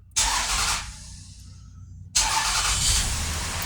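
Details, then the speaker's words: 2003 Toyota Sienna after catalytic converter replacement, first start (previously very loud): engine catches with a quick flare, dips, flares again into a soft even idle with no roar or rasp; exhaust quiet, no leaks heard. "Oh my goodness, that's quiet. Wow. Before you could crank it up and it was so loud you couldn't hear yourself think."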